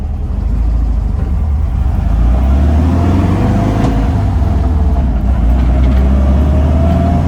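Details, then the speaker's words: 1966 VW Split Bus flat-four with rejetted dual carburetors on a road test with a newer, long-stored transmission, pulling in gear up to fourth; even drone with no stumble or misfire, though something, possibly a shock, sounds loose. "oh man carburetors are sounding really good"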